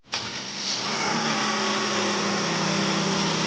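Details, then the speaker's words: Mercedes ML300 after repair of cold-start engine noise and idle in-gear shaking resonance: engine catches quickly and settles to a smooth steady idle with no knocking; noise gone. "异响消失，ML300问题全部解决。"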